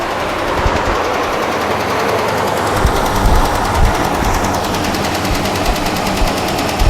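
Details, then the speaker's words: Dodge Ram 5.7 Hemi at idle, microphone close to the engine: fast, hard, steady ticking through the engine note, much heavier than normal Hemi tick; engine tick or knock, cause undiagnosed. "that's all I'm willing to show because the motors not dead yet as you can see but it's more than ticket baby way more"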